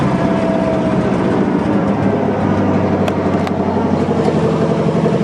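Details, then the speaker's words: 1963 Allis-Chalmers loader with 1978 Monte Carlo 305 V8, first run after 5.5 years, driveshaft in front of pump: steady, slightly uneven idle under light pump load, a touch rough while cold; normal cold idle. "Oops. Still a bit cold. Not a problem. Smells like a big block. Everything's working good."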